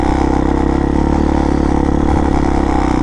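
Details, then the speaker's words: 2019 RPS Hawk DLX 250 fuel-injected counterbalanced single-cylinder dirt bike, new, test ride after cold start: buzzy thrum under way with a fast loose rattle; a body panel vibrating. "That vibration's coming from this panel."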